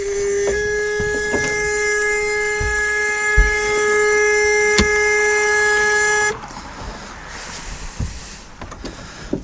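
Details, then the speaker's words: 1976 Starcraft boat with 1976 MerCruiser 120hp, running during winterizing: loud steady buzzing tone about six seconds then cuts off; engine warning buzzer working. "that buzzer is annoyingly loud but if you're on the lake and it's not and it starts going off you want to hear it"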